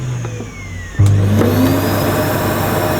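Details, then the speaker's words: Hoover Sensory Evo (SO30PAR 011), low-energy motor, first run on the low power setting with the hose fitted: a short rising whine, then a low steady hum with even airflow rush. Running normally. "that's obviously low power."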